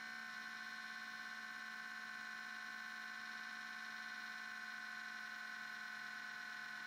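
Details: MacBook Pro at startup: a quiet, steady electronic buzz with a thin unchanging whine. It sometimes hangs at the blue screen, and an Apple store found no fault. Source unclear. Abnormal buzzing noise at startup.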